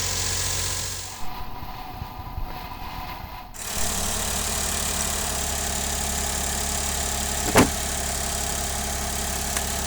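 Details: Engine after replacing a faulty water pump that caused rattling, grinding, saw-like noise and overheating: after a short gap it settles into a low, smooth, even idle with no rattle or grinding, almost unnoticeable. Normal idle after repair.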